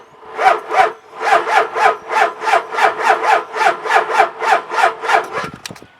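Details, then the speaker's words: Truck with very weak batteries (10.7 V after the lights were left on), NOCO jump pack connected, cranks slowly and laboriously at about three compression pulses a second and never catches. "at 10.7 volts this thing's got really really weak batteries I actually left the lights on so it run the batteries"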